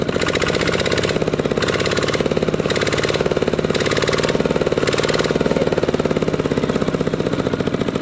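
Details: Used 12 hp RT120 single-cylinder diesel tractor with small-eye head, Sai Fah ZR frame and manual gearbox: steady, even thump at a constant idle, no knocks or misses; normal healthy idle.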